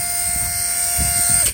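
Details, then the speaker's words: Mercedes W140 soft-close assist pump on a heavy two-door door with the engine off, so the pump spins a little slower on battery voltage; steady electric buzz-whine at even pitch for about 1.5 s, cutting off cleanly; normal operation. "Yeah, you can hear it. It's totally normal as long as everything works. We're in good shape."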